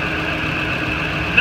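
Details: 2008 Ford F-250 after the serpentine belt tensioner replacement, run for a while before rechecking bolt tightness: steady, even idle with a light smooth hiss and no chirp, squeal or knock. The belt drive runs clean.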